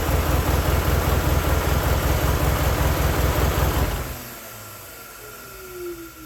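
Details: 1995 Honda Prelude 2.3 VTEC with stalling, heavy blow-by, suspected worn engine, low compression and misfire: long even cranking about two and a half beats a second for four seconds without catching; won't start unaided without pressing accelerator.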